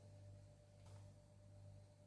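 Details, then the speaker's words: Marshall JCM800 2210 100 W split-channel reverb valve head idling, all controls at zero, with bulb limiter removed: quiet steady low hum with faint hiss and a thin higher tone; excess idle hum, tired capacitors suspected. "Yes. She has got a bit of background noise. That was through through the 412. the the customer got it through. It was quite loud."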